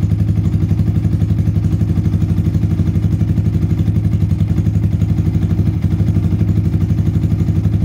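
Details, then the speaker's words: Yamaha Vixion/Xabre engine after rebuild with new cylinder block and piston rings, valve clearance set exhaust 0.15 and intake 0.10: steady, even idle pulsing about four per second, no ticking or knocking; smooth, compression restored. "untuk suara mesin sudah halus celah klep saya set X berukuran 15 sedangkan in berukuran 10"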